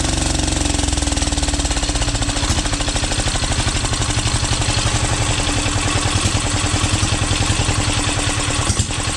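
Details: 12 HP air-cooled single-cylinder diesel, test run after overhaul; it had run once and then become hard to turn (owner suspected piston), valve clearance reset and oil added. Steady, even thump firing cleanly with no knock, miss or rub. Normal running.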